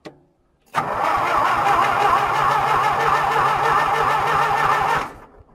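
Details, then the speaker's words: John Deere cold winter start: fuel primed, half-clogged fuel filter blown out, choke on, full throttle; starter cranks steadily about four pulses a second with no firing at all. Owner suspects it isn't taking fuel; cranks but won't start. "jeez not even a puff that's surprising me I don't think it's taking its fuel for whatever reason that tells me that's my problem"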